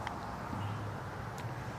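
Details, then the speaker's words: KingSong 16X electric unicycle riding slowly on the road after fix: low, steady motor hum with light wind and road noise, no growl, groan or shake through slow reversals; the low-speed growl is gone. "Nope, it's quiet. No groaning, no grunting."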